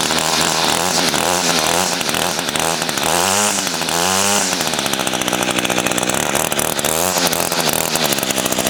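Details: Echo two-stroke weed trimmer unused for about five to six months, started with primer and choke: a high, buzzy engine that rises and falls cleanly with each throttle blip and holds steady between them; it runs healthy.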